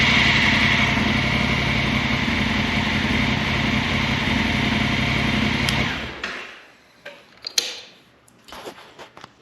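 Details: 2019 Honda Africa Twin after being dropped in muddy snow and refusing to start with repeated clicking: restarted with the key, steady smooth idle with an even beat for about six seconds, then clean shutoff; sounds healthy.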